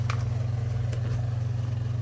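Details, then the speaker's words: Whirlpool dishwasher that was not washing, live test: after tapping the wash motor housing with a small screwdriver, even low motor hum with quick steady pulse, no grinding or stalling; wash motor spinning freely. "And what you're going to do, you're going to tap the motor. Not on the plastic too much, but basically on the housing. And just like that,"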